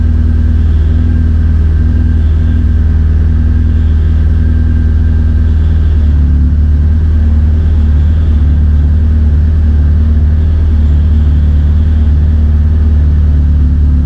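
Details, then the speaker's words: K20-powered Honda Integra DC2 racecar just started after fuel system fix: deep, steady, even idle with no hunting, misfire or tapping; oil pressure, oil temperature and coolant pressure all normal on laptop; healthy engine. "cool that worked perfectly uh on the laptop screen I was just looking at all the vital signs so oil pressure oil temperature cooling pressure that sort of thing everything was where it needs to be so pretty happy with that"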